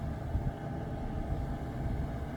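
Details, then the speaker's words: Old truck camper propane furnace after fix for lukewarm air, running a few minutes and blowing hot air; steady even low rumble of burner and blower with no clicks or rattles: normal operation. "hey it's been running a few minutes now it's getting nice and warm in here put your hand down here it's nice hot air"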